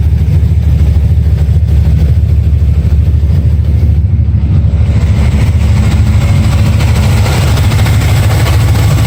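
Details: Steady engine idle with a light, uneven tick riding on the low rumble; chasing a ticking noise at idle, source not yet pinned down.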